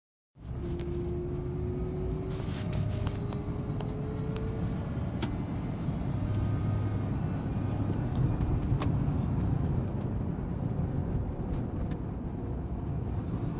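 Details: 2004 Lincoln Town Car while driving: over the road rumble a thin, faint whine climbs slowly in pitch for a few seconds, then fades; owner suspects the torque converter, unconfirmed.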